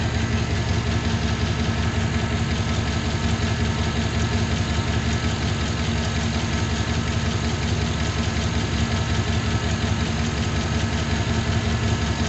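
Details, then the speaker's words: Junkyard 6.0 LS V8 in a 2500 truck after the swap, with over 40 psi oil pressure: steady idle with a light, regular tick about two per second. Exhaust manifold ruled out; valve seals, head cleaning and new plugs done; cause not found. "I still hear her ticking. We're gonna let her just run. I hear her ticking though."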